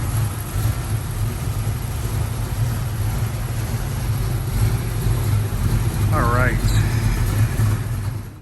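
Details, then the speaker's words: 1967 Ford Mustang rebuilt 289 V8, C4 automatic, fresh aluminum intake, dual exhaust, 51,385 miles, idling outdoors: deep even rumble, no knocks or misses, traffic in background; healthy, strong-running engine. "Fresh aluminum intake as well. Sounds good."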